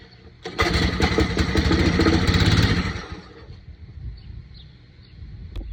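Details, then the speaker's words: Tecumseh string trimmer that sat outside for years, small amount of gas; fires roughly about three seconds on carb cleaner then dies, owner suspects the carburetor. "I'm thinking it's probably something to do with the carburetor, since it starts on carb cleaner."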